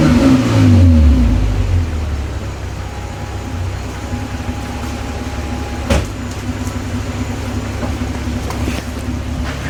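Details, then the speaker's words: Toyota Cressida MX83 on a temporary exhaust, after the distributor was rotated in the correct direction: low steady burble, a brief rev, then an even idle with no misses or knocks. "I must have rotated it the wrong way, but now I've got it rotated in the right direction, so it should fire right up, sound a lot better."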